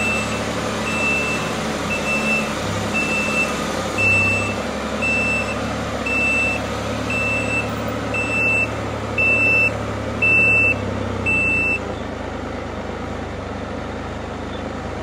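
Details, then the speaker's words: 2018 Can-Am RT Spyder reversing out of the garage in gear, parking brake manually released by backing off the cable, light still on. A sharp high beep about once a second over the low engine hum: the parking brake warning is still active, then stops. "I am going to back up out of the garage. You notice that beeper's still beeping?"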